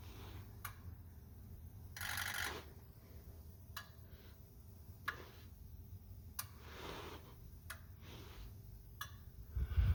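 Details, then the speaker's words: 2004 Ford 6.0L Powerstroke diesel with rough running, scanner injector self-test: sharp evenly spaced clicks about every 1.25 s over faint hum, skipping number two, so that injector is electrically dead; no code was set for it. "we are missing number two I thought I heard it"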